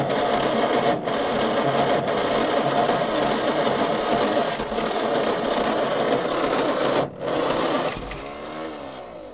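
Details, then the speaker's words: Old petrol Bedford tip truck (owner guesses early 60s–mid 70s), sat 10+ years; distributor moved as owner guesses timing too far advanced. Starter churns about three beats a second for several seconds, no catch, then winds down: cranks but won't fire. "I'm only guessing the timing's too far advanced. That'll make it earth a bit better if I move it around a bit. Righto, we'll try it there."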